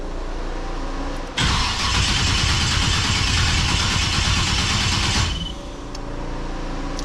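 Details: LS-swapped restomod Chevelle SS that won't start after sitting: steady fast cranking, about four turns a second for roughly four seconds, but the engine never catches. Cranks, no start; battery suspected first, not confirmed.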